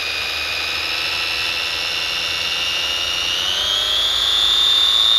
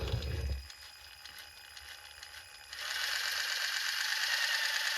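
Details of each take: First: 3D-printed Frankenstein RC car differential, nylon spur and diff gears, motor held by hand, unloaded up to full throttle: high, steady gear whine climbing in pitch then holding smooth and even; gearbox runs freely, bench vibrating. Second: 3D-printed Frankenstein RC car differential with nylon gear against factory gear, 600 W motor, under throttle: harsh, gritty high rattle of teeth chewing as they mesh; gears not meshing cleanly, cutting each other.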